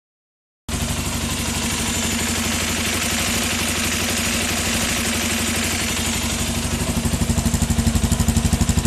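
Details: Suzuki Djebel single-cylinder running with a busy, clattery rhythm of about three beats a second that turns choppier toward the end; strange noise, cause unknown.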